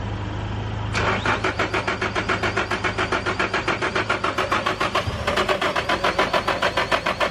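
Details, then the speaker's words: 1995 vehicle, cranking without starting at about 3.5 pulses a second. The owner suspects a worn starter with gear grinding; not confirmed. "I can hear the fuel pump fried so I mean it could be the starter that that sound could be the gear grinding it might just be worn down"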